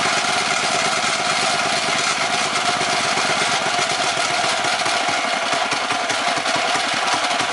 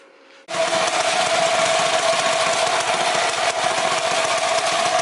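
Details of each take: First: Predator 212 mini bike engine: low, uneven chugging idle with no load, backfires and cuts off; air mixture screw turned all the way out, misadjusted. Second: 212 Predator mini bike with a PWK-style carburetor, final result after going back and forth on the air mixture screw: it settles into a steady, consistent buzzy idle with no hunting or stalling. Normal idle.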